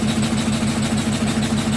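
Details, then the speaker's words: GEDTECH GLL71200WH 7 kg, 1400 rpm front-loading washing machine during spin, with a fast, steady low thrumming pulsing several times a second as it shakes hard; owner did all the unscrewing and re-screwing steps, cause not pinned down. "Mais là en fait vous voyez comment elle bouge et le bruit est très très bizarre. Donc je suis très déçue et désagréablement surprise en fait."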